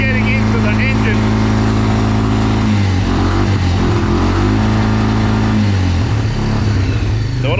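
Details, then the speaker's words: Quad bike after a carburettor change, air filter found soaked with too much oil so not enough air gets in: steady engine drone that sags and breaks down as revs build in gear, then recovers; engine starved of air. "because when you get the revs up in gear it just breaks down it literally breaks down you can hear it like not they're not pop off Sonny you're breaking down"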